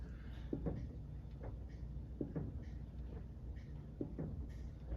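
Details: Soft dull clunks about once a second as the front wheel is rocked by hand on a truck during a front-end check; play in a worn front ball joint, whose boot is also cracked.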